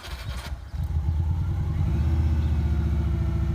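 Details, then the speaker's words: 2003 Subaru Legacy BH5 wagon, 2.0 twin-turbo five-speed manual, first start after about two years sitting; catches and holds smooth even low idle, quiet, no bearing noises or knock, belt slightly noisy; healthy runner. "she is running so [Music] so pretty quiet pretty sweet no bearing noises um belt's a little bit noisy but by that he's a runner"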